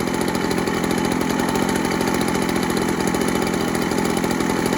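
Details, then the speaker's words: Echo PB413H two-stroke backpack blower on a new cheap aftermarket Chinese carburetor with an NGK plug; quick, steady burble holding an even idle with no hunting or stalling; a normal idle, about the specified 2,600 rpm on the plug-wired tach. "Supposed to be about 2,600."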